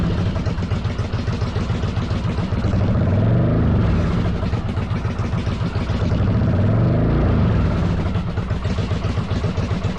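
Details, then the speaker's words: 1995 Yamaha Virago 1100 V-twin on half choke, after EGR/vacuum-line work: loud lumpy uneven beat surging and sagging with revs; ran better, owner suspects carbs not synced, not timing; uneven running. "sorry about that that was super loud makes me think the carbs aren't synced I don't think it's a timing issue"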